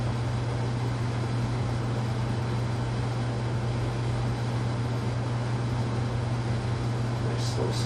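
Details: White Casablanca Panama ceiling fan (K55 style) after bearing replacement and a new flywheel, on low speed in the downdraft position: smooth, even low hum with no grinding or ticking. Healthy motor and bearings.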